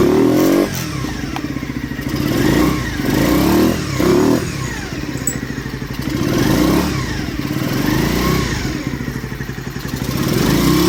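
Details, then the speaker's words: Skyteam Ace 50 moped, brand-new Zongshen HY50 four-valve twin-cam 50cc engine, not yet run in, kickstarted cold: lumpy cold idle, then clean revs settling back; normal cold idle and revving. "well it's still cold but that's the sound I think it's a great sound for such a little engine"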